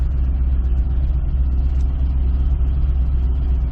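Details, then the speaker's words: 2005 Chevy Corvette V8 idling in forward gear, smooth in reverse: loping, uneven idle, one cylinder not firing; likely cause a spark plug wire found unplugged. "okay reverse seems fine but if we put it in forward you guys can hear that this thing's running awful"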